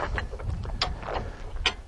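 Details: Hi-Lift jack raising a Jeep by its bumper, wheel chocked, handle pumped with both hands under load: sharp metallic clicks with each handle stroke as the pins catch, crisp and regular; the jack is working normally.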